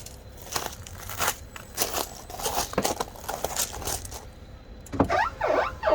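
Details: Porsche 996 C4S power window after WD40 was sprayed as a suggested short-term fix, which had no effect: faint rubbing during travel, then repeated high chirping squeaks rising and falling as the glass moves. Squeaking window, cause unclear.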